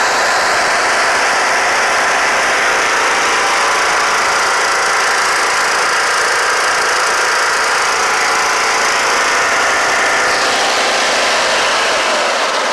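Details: Kohler Courage 18 hp on Troy-Bilt Bronco riding mower after valve cover resealed with cork gasket plus sealant; loud steady single-cylinder drone, even speed, slightly harsh, no misses or knocks; smoking stopped, engine mounting bolt still loose.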